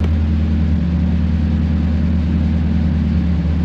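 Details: 1987-95 Chevy 350 TBI V8 after installing a new idle air control valve and doing the relearn: catches and settles into a steady, even low rumble with no misses, surging or hunting.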